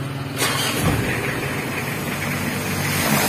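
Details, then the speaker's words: Mitsubishi L300 diesel idling after transmission refit and replacement of broken clutch disc springs, clutch pedal released: even low rumble, no rattle or grind; earlier harsh noise on clutch release cured; normal idle. "untuk suara kasar ketika pedal kopling dilepas sudah sembuh ya"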